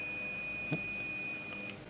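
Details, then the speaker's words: Sharp 4T-C42DK1I smart TV with only the red indicator lit, won't turn on: continuity tester holds a steady beep for nearly two seconds across the USB port pins; short circuit on the USB 5 V line. "Kalau saya ukur antara pin out USB-nya ini terhubung, Teman-teman."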